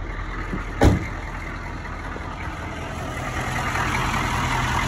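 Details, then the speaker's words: 1986 Chevy K5 Blazer M1009 starting up after new Gen 2 alternator, rebuilt starter, new radiator and fuel filter upgrade: one sharp bang early, then quiet steady low idle with no knocks or ticks; engine sounds healthy. "so let's give her a little uh start see see what she sounds like not bad"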